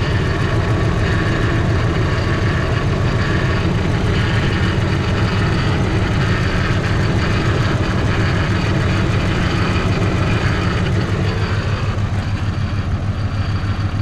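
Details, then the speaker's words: Ford F150, 5.4 3-valve with cam phaser and timing chain problems: lumpy, rough low idle; unplugging injectors on one bank makes no difference, so that whole bank isn't firing. "but when I went to unplug this side none of them made any difference"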